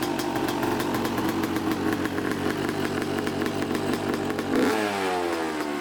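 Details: Neglected 2014 Yamaha YZ250 two-stroke dirt bike, trail-ridden and previously fouling plugs: crisp, buzzy note holding steady revs then falling off cleanly as throttle closes; runs strong, probably needs no carb clean.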